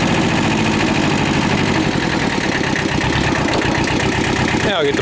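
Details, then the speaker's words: Kubota L Series (mid-1970s) diesel tractor, warm after about half an hour running, after internal oil leak repair: steady, even idle clatter, no misses or knocks, handling noise near the end; normal idle. "hey well it's been out here running for about a half hour or so I changeed the oil in it topped off the coolant"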